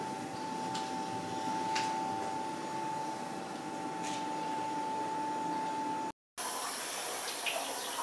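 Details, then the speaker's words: Boiler-room primary circuit, very hot pipe, installation stopped: steady even rush of water with faint constant whistle through relief valve into pressure-maintenance unit; no hammering, normal flow. "Donc là, on entend l'eau qui vient donc du primaire de la chaufferie, le tuyau est très chaud, qui rentre par le biais de la vanne déverseuse dans le groupe de maintien de pression."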